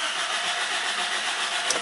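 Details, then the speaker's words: Car cranking with fans and lights off: steady starter cranking with even churning but engine never catches or fires, no hesitation; tank out of fuel, so no fuel reaching engine. "but no any start no even know any heavy Daisy okay and what's that mean when Pierce it wasn't that no any hesitation and no any start"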